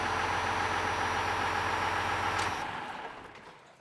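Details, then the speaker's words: 12-valve Cummins diesel after governor spring adjustment (shim, four clicks in), idle from 975 rpm, in gear: steady, even idle about 100 rpm lower with no hunting or surging; governor holding speed properly. "like that's about perfect like we lost about 100 RPM that's much better so if we can uh it's happier like the motor the governor is definitely happier"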